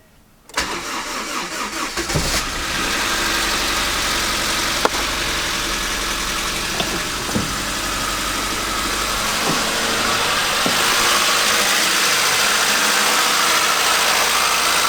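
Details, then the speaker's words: Freshly installed JDM Honda B20 engine swapped into a CR-V, first start after sitting without oil; catches after a couple of cranks into a fast idle with light, quick ticking about four per second, owner suspects loose valve lash. "well she fired up quite nice uh i'm gonna let it idle for a minute because this engine obviously is new so it hasn't had oil in it for a hot minute i'll let it idle see if that ticking goes away it does sound quite a bit like the valve lashes a bit out though"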